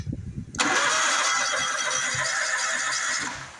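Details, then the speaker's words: Bobcat zero-turn mower cranking evenly for about three seconds with no firing; spark tester showed no spark, coils believed good; a replaced PTO safety switch didn't fix the no-spark, no-start condition. "and we're back to our no spark issue"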